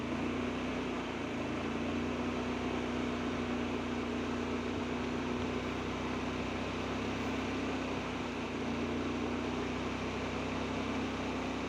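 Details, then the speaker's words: Honda Beat FI that would not start, running after oil was squirted into the spark plug hole to build compression past worn piston rings: steady, even hum with exhaust smoke from the added oil. This is a temporary fix. "Nah jadi pas dia hidup ini pada bagian knalpotnya ini keluar asap ya teman-teman Ini karena oli yang saya masukin tadi"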